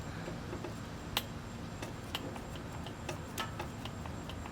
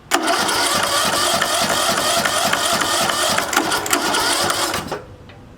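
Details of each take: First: Junked John Deere riding mower being revived, key switched on while jumping the starter: quiet background with a few sharp irregular ticks and one crisp click as the fuel solenoid opens normally. Spark required bypassing the ground wire. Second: Curbside-junk John Deere riding mower cranked by jumping the starter directly, spark plug pulled for a spark check; several bursts of cranking with pauses and it never catches; turns over but no start, apparently getting fuel, cause unconfirmed.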